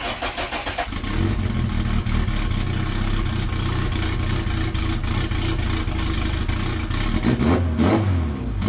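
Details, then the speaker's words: Honda EK hatchback with LS/VTEC swap, Hondata, base map only, no fuel trims tuned: engine catches and settles into a lumpy, hunting idle with raw-fuel smoke; running rich on untuned base map. "so I see we got to run it all the smoke you're seeing that's all fuel smells like raw fuel the tune is once again it's just a base map"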